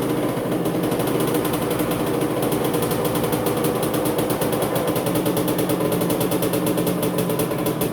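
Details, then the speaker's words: 1985 Honda CR250 barn-find two-stroke first start after rebuild, smoking heavily from engine oil used to lubricate the cylinder on reassembly: crisp, even fast popping idle with rattly top end, no misses or knocks. "well what do you know guys she fired up she's making a lot of smoke from all of that uh that engine oil that I used to lubricate the cylinder when I put it all back together"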